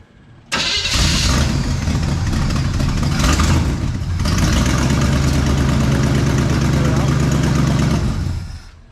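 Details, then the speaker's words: 1973 Chevrolet Malibu, small block 350 V8, after starter replacement and shim check (no shims needed) plus new alternator belt: short clean crank with no grinding or staying engaged, catches straight away into even idle; normal cranking and start. "sounds good we're not going to mess with that at all you don't want any grinding any really loud uh metal on metal contact and you don't want it to stay engaged"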